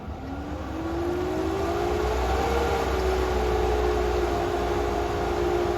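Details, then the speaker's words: Hayward Maxflo VS pool pump after drive unit repair, with the filter filled by hose: a steady motor hum whose tone rises slightly and holds as water is drawn in. Normal priming, though air means a second priming cycle is needed. "as expected it's starting to Prime but it's designed given the amount of time that I've set up for priming when there's not so much air in the system"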